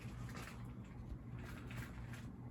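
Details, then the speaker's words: SMC ceiling fan running on high speed. A soft, steady low hum and gentle air whoosh, with none of the usual swirly bearing sound and no scraping; the bearings are very quiet and healthy. "yeah I'm very impressed by the bearings on this cuz I mean it doesn't even have the like swirly bearings sound like almost every SMC does it's just absolutely great bearings"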